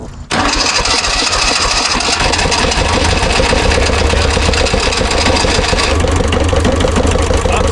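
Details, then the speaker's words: 1970s Kubota L1500 two-cylinder diesel tractor, sat about 20 years, at full throttle with glow: cranks hard, almost catches but never runs clean, diesel pouring from exhaust; fuel starvation. "It's at full throttle. It should have been It should have been going. It didn't get enough fuel. Well, it's started up, but it's not it's not getting enough fuel."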